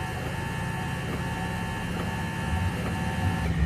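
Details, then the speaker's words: Windshield wiper motor, removed and run alone on the switch in third/high mode with the linkage disconnected (the linkage locks up when connected): steady, even electric hum with no grinding or catching, the motor itself normal. "Alright, I don't see nothing wrong at all with this, and the motor seems to run."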